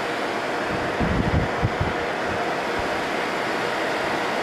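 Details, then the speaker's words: 1988 Fedders Cool Tote Slim 5000 BTU air conditioner in 50s°F weather: even fan rush over a very quiet compressor hum with a few brief low thumps; unit cooling with frost on coil, compressor soon cycles off, normal operation. "Man, I can't believe how quiet that compressor is."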